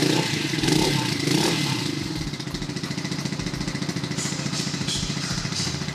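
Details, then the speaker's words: Warm-engine start of a 2022 CSC SG250 single-cylinder motorcycle, choke off, in neutral, throttle cracked slightly: brief crank, catches at once and settles into an even thump at idle; normal warm start and idle. "and just that easily it starts up on a warm engine"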